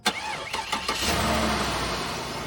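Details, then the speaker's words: Flood-sale Cadillac DeVille, cold start: a few quick cranking pulses, then catches cleanly and settles into a smooth, steady idle; normal cold start. "Like a dream. Oh, I love this car."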